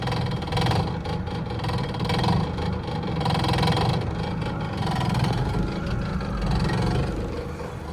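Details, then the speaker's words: VW Caddy with a swapped ABA engine, fire-damaged wiring harness repaired: steady, low, even idle with occasional light revs, quiet and not shaking; runs right. "It's a nice quiet motor. Sounds great. It's not shaking all over the place."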